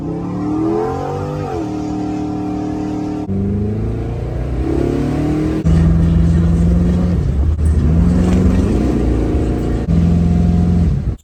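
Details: 1972 Impala LS3 swap after tightening loose torque converter bolts (two of three were loose): clean engine note rising and falling through several revs with no rattle or knock, rattle gone.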